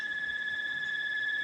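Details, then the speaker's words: Air conditioner that cools fine but is noisy, loud enough to keep one awake at night: steady piercing high whine at constant pitch; abnormal noise, cause not yet found. "Ang problema lang nito maingay. Yan o. Napansin ko yung ingay. Pag matulog na, di ka makatulog yan."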